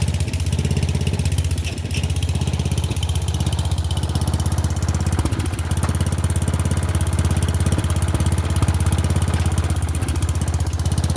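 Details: Murray Select 30-inch riding mower, being revived for resale, started after jump-pack attempts for a driveway test run; steady even low chug at idle with regular beat, no misses or knocks; small engine sounds healthy.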